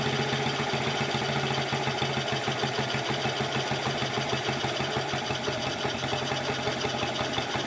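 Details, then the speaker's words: 1984 Honda TRX70 quad single-cylinder, first start after years stored, running on chainsaw gas: fast idle with slightly loose, burbly, uneven beat while air mixture is adjusted; owner says it smells a little rich. "I'm trying to adjust the air mixture just a little bit. It smells a little rich to me."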